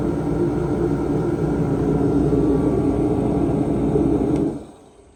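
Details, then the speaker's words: Few-years-old Mr Heater 125k BTU diesel forced-air heater with heavy mouse damage, fixed by cleaning the filter and blowing out debris, running outside on half a tank; steady even roar of burner and fan, no sputter or surging: normal burner operation. "sounds good doesn't sound overpowered a good steady uh Blaze if you will"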